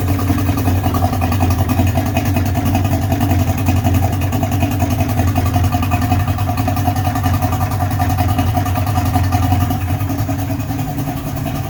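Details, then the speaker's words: 55hp Johnson two-stroke outboard after carb air-fuel adjustment: even, steady buzz with no misfires, hunting or surging; running on all three cylinders, no fuel leaking from the carbs, healthy. "i would say that sounds pretty awesome pretty good i'm pretty happy with that we got no fuel pissing out of the carbs we got i could feel the good suck definitely running on all three cylinders"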